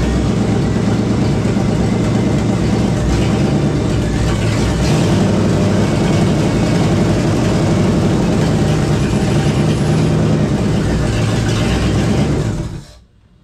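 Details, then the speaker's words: 1976 AMC Gremlin with a salvage-yard AMC 360 (5.9L) V8, first start on one muffler with gasoline poured in. A lumpy, uneven low rumble stumbles for several seconds, then dies. Rough running and stalling; the owner suspects ignition timing, unsure. "all right it kind of wants to run but I need to get it outside I need to set the timing on this I think that could be what's off right now"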